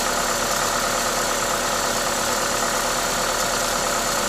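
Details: Toyota 2ZZ-GE engine at normal idle: smooth, regular engine note under a loud airy hiss from the open induction kit, steady and even; sounds healthy.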